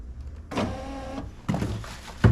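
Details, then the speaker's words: 2005 Jeep Liberty KJ, passenger front window regulator just replaced: short bursts of window motor hum, each ending in a hard clunk as the new regulator strikes an overlong original mounting bolt. "me more screws they should have gave us more screws it's hitting that long screw jeez"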